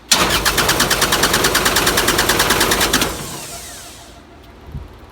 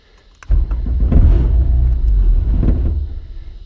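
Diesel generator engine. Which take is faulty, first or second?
first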